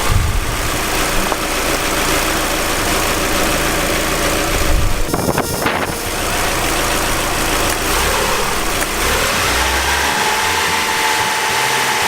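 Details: 2005 Mazdaspeed Miata, first start after timing belt and water pump replacement, warming up to operating temperature while bleeding coolant: even idle with steady hum, no ticking or knocking; normal idle.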